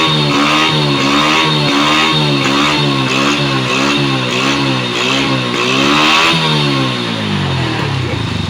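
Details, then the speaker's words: Honda Wave 100 motorcycle after fixing cam timing marks that had slipped 2–3 teeth (it started fine but would only reach 40–50 km/h); engine blipped repeatedly, revving up and down cleanly and responsively: normal revving. "ขับมาดีๆด้วยนะเพียงแค่ว่ามันเร่งได้แค่40-50กมต่อชมอันนี้หลังจากที่เราทำการแก้ไขมารคแล้วให้ฟังเสียง"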